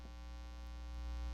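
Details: Live-stream audio with a steady low hum and even buzzy overtones, no rhythm. It is mains hum; the host suspects newly plugged cheap cables, and moving something further away didn't fix it. Cause unconfirmed.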